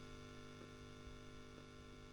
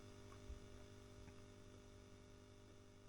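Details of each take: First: Selmer Little Giant single-ended valve amp converted toward a 5F2-A Princeton with negative feedback, Elac speaker, at full volume; faint steady low hum with light buzz, no crackle, normal quiet background noise for the amp. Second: Selmer Little Giant valve amp being converted to a 5F2-A Princeton, volume control at full with guitar unplugged: quiet steady low hum with faint buzz, residual capacitor hum remaining.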